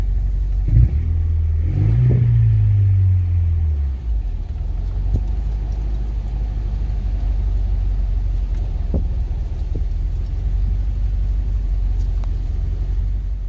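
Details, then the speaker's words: Honda Prelude with misfire, spark plugs replaced, warming up, possibly a plug wire still misfiring: quick rev, revs hang and drop, idle hunting unevenly; idle surge. "i'm gonna try to rev it i'm expecting uh an idle surge very soon gonna give it some gas yeah there's the idle surge"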